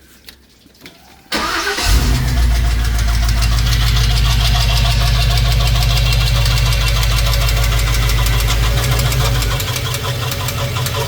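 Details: LS 5.3 V8 swap built with cheap eBay lifters and trays, running after being bounced off the rev limiter: a steady, fast ticking knock plus squeaking at idle. Cause: failed lifters and a spun bearing.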